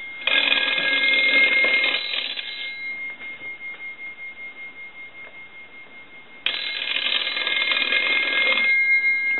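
Two crisp, even bursts of bell ringing with a clean steady chatter and a quiet gap between; the ringer works properly.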